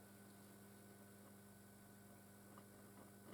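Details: Hacker Gondolier GP42 valve record player amplifier on reduced mains power, volume full up, during capacitor reforming: quiet steady low hum with faint ticks and hardly any program sound; weak output with mains hum, fault not yet found.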